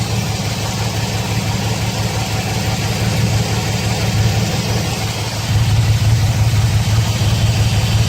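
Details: 2006 Chevrolet Silverado 4.3L with codes P0305 and P0200 and a blinking check engine light: low, lumpy rough idle with an uneven pulse that periodically drops out, a cylinder 5 misfire. Injector, harness open or ECM signal suspected, not confirmed.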